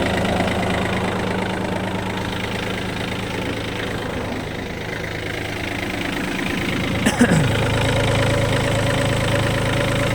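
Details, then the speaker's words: Yanmar F180 Japanese mini tractor, three-cylinder 18 hp diesel, four-wheel drive, only 122 engine hours; started without problems, steady even diesel chatter at idle with no misses or knocks; normal idle. "Двигатель работает просто отлично, что я вам, собственно, и собираюсь сейчас показать и доказать. Запустился без каких-либо проблем. Работает ровно."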